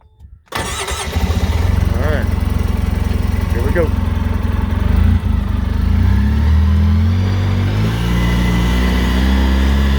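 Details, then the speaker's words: 2013 Polaris RZR 800S, warmed up, first ride after Rev6 cam replaced a faulty cam, recorded in the cab with metal doors: cranks and catches quickly, loud but steady even rumble with no knocks or misses; normal running. "that motor's not quiet but the motor sounds good everything's smooth everything's working as it should"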